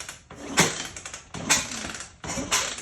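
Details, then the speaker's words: 1980 Honda XL500S, spark plug removed so no compression, compression release cable unhooked: three kicks about a second apart, sharp clack then smooth spin-down, no scraping or knocking; normal turnover. "I'm gonna just kick it over and see how it sounds, make sure there's nothing funky sounding there. I took the spark plug out, so there's no compression."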